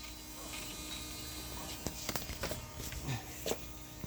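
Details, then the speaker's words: BMW E39 525d, newly replaced auxiliary fuel pump at key-on: faint steady electric buzz with low hum and a few clicks; normal priming noise, not heard inside the insulated cabin. "Da, făcea zgomotul ăsta când întorceai cheia. Ce vrei să spui? Că nu se aude din interior pentru că e foarte bine izolată."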